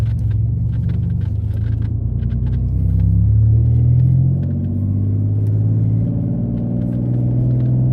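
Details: Mitsubishi 3000GT SOHC with gutted catalytic converters, after earlier falling flat around 4,500-5,000 rpm and not passing 4,000 in 5th; windows up. Deep exhaust rumble climbs smoothly past 4,000 rpm without falling flat; engine breathes freely.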